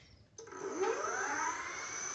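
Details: Electric moped brought in weak and shaking, with overheated, melted and oxidized terminals; a known-good high-rpm scooter hub motor was fitted for testing. It kicks in and spins up smoothly, its electric whine climbing steadily with a faint high hiss.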